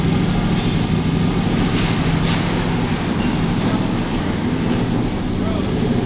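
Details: Aston Martin V8 Vantage, crashed into a Hollywood Blvd store, first start after a year of work: steady, even V8 run with a low smooth drone and no knocks or ticks under background noise; engine sounds healthy.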